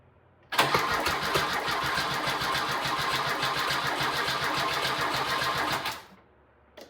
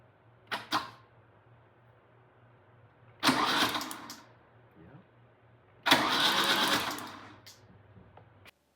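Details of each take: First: 1997 Lada Niva 1.7L fuel-injected four-cylinder, parked over 10 years, before fuel pump replacement: cranked with fuel poured into the throttle body, it catches and runs raggedly about five seconds then dies; fuel delivery fault. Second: 1997 Lada Niva 4x4, 1.7L fuel-injected four-cylinder parked 11 years, spark plugs out, cranked on the starter: a short click, then two spells of smooth whirring with no binding; engine turns freely, not seized.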